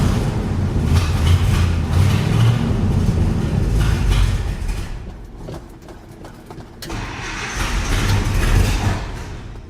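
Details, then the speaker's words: 1972 International 1110 truck, carburetor just rebuilt (Motorcraft) with new gasket, bowls filled by electric fuel pump: engine catches then surges and sags unevenly, rough idle as the accelerator pump leaks past its diaphragm because one bolt is stripped and won't tighten. "So as you probably saw there in that clip, this accelerator pump leaks right past the diaphragm because this one bolt is stripped out and will not get any tighter."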